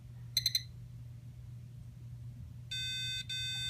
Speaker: get the two red beeps that tells us that the sd card is not installed properly